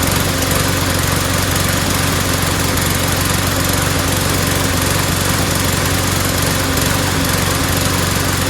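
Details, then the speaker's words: Mower after fitting a replacement O-ring part: a loud steady drone with an uneven, sputtery beat underneath. The owner suspects bad gas rather than the carburetor, since the fuel looks cloudy, water-saturated and mixed with two-stroke oil, and plans to drain and refill. "you know it doesn't sound so good it sounds sputtery so I don't think it's the carburetor that's all I was thinking it's got bad gas in it"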